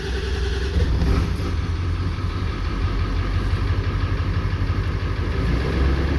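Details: 1994 Ford 7.3L Powerstroke diesel pickup, sat 4–5 years, after fix for long crank/no-start (bad mechanical fuel pump), idling after start: low steady diesel rumble, even firing, no misses or knocks; runs smooth.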